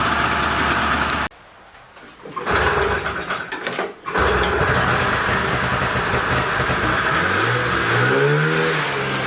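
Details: Polaris snowmobile with old 488 two-stroke, seized engine freed and carbs cleaned (hidden jet cleared), cold day after snow: catches after a pull on dry carbs, settles to steady buzzy idle, revs smoothly; running clean, sounding pretty good.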